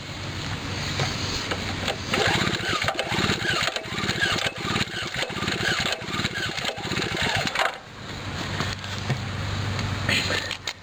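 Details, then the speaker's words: Snowblower compression test on pull start, gauge reading about 90 psi: even, strong cranking with regular compression pulses, no hiss or slapping; healthy compression. "reading about 90 pounds both the same as my other weed whacker so yep I'm happy with it"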